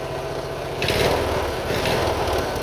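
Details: Single-cylinder Briggs & Stratton Intek race mower engine revving: faint knock riding on the beat, only on throttle; owner suspects running rich from an over-drilled carb jet, not confirmed.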